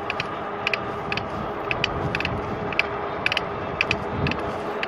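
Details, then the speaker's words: RadRover e-bike riding on pedal assist, lightly pedaling at about 18-19 mph: sharp metallic clicks in uneven clusters over road hiss from the pedal crank area; bearings suspected, not confirmed. "This sounds terrible. So I'm doing pedal assist, lightly pedaling, about 18 miles an hour."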